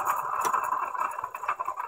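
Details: 1996 Dodge Ram 2500 with a daily coolant leak and a noisy front end, radiator fan removed: water pump turned by hand gives a gritty, rough, scratchy whir with wobble; worn water pump bearing, pump possibly leaking too.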